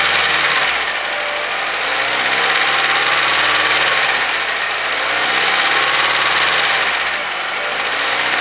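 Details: Mazda 3 1.6, 2007, engine knock: busy mechanical clatter with a repeating tap near 220 per minute over idle, rising and falling with revs; origin of the knock unknown.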